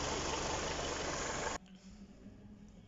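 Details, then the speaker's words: Kia Cerato engine after replacing the alternator, whose rear bearing had fallen apart and seized and caused a knocking, grinding noise: raised rpm, even drone with no knock, rattle or whine from front accessories. Normal running after repair. "Установил новый генератор, надел ремень. Увеличьте обороты двигателя. Вокруг царит тишина. Никаких посторонних шумов."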